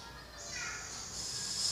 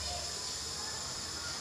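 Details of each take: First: Gas stove on LPG cylinder, Y-branch hose feeding two stoves, regulator opened about two-thirds turn, stove knob barely turned: sharp, steady hiss swelling over two seconds, no flame; excessive gas flow, turn right to reduce. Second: Gas stove on LPG cylinder, Y-branch hose feeding two stoves, after turning flow down to the right: soft, steady, even hiss with no pulsing or sputtering before ignition; normal low gas flow.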